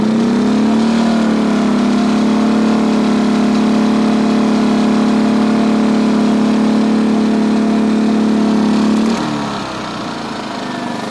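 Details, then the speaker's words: 2010 Champion 2000W generator, about 11 years old, after carburetor cleaning of jets gummed from 3-4 years' disuse: runs choke in on econo mode under a 1500 W heater load, steady even hum with no surging. Before it was hard starting and surged unless choke full out. "So it went from basically really hard to start and would only run with the choke full out, and now she's purring along nice, choke in on econo mode."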